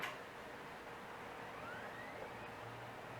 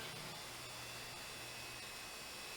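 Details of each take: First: Samsung SpinPoint 40 GB IDE hard drive, early 2000s, 2 MB cache, from another non-working computer: quiet motor hum climbing as platters spin up, then steady low drone with a few head clicks; healthy spin-up. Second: Western Digital IDE hard drive, identical to another dead unit, fails to spin up, giving a faint thin high whine over hiss with soft ticks about twice a second; motor suspected dead or dying, cause not confirmed.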